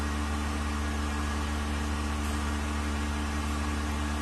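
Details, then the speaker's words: Vacuum pump on a 1600-litre mixer during a vacuum test with an empty chamber, gauge vacuum about 0.09 and rising slowly; even low hum with steady pulsing drone, no knocks or grinding, pump working stably with very low noise. "And the vacuum pump is working stably. Very low noise."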